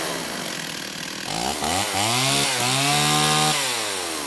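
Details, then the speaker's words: STIHL 028 AV Super chainsaw, amateur-rebuilt with non-OEM parts after being run on straight gas, low-speed jet opened a bit from lean: revs surge and sag instead of holding steady; unstable idle, seems like a carb issue, crank seals appear not leaking. "it's almost acting like a carb issue you know it doesn't actually seem like we have any crank seals leaking"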